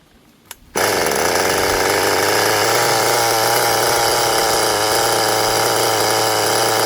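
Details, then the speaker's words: 20-year-old restored HPI Nitro Rush Evo RC nitro engine with a new glow plug and fresh fuel, possibly flooded at first; it bursts into a high, buzzy scream with a slightly burbling note. Owner suspects it is running rich. "Running a bit rich by the sound of"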